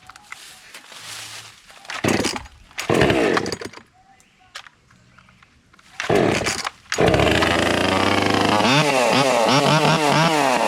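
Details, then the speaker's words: JPNTech 12-inch chainsaw started cold after storage with old fuel, full choke and primed five times: several pulls with gaps, then it catches and holds a strong, steady high two-stroke buzz; a normal cold start and run. "And so, what I'm going to do is I'm going to crank it up and show you how reliable or reliable it can be even after being in storage for a bit."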